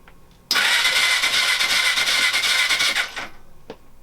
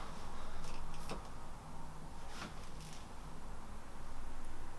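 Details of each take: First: Suzuki GS500 motorcycle cranked for the first time in 5 years, clutch pulled in, WD-40 in cylinders: quick, even whirring crank with no dragging or slowing; engine turns over freely on the starter. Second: Suzuki GS500 motorcycle, first start attempt after sitting 5 years, with WD-40 in the cylinder and the spark plug refitted: quiet, then a burst of cranking with a rough rumble that never runs. It turns over but won't start; cause unconfirmed.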